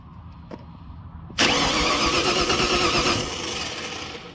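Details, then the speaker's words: Starter fed directly from the battery terminal to the solenoid S terminal: sudden loud whirring crank for about two seconds, then it eases off; starter spins the engine over normally. "so we'll go from this terminal that's the battery terminal straight to it's straight to the S terminal that obviously turns it over"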